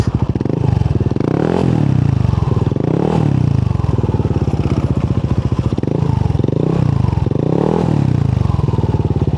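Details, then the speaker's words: Yamaha Nmax with 4S1M Street Core V3 pipe after repair (fiber wool added): deep exhaust burble revving up and dropping back, traction control off, loud metallic rattle now gone. "Wala na masyadong ayun na yung kalansing na malakas. Parang medyo okay na siya."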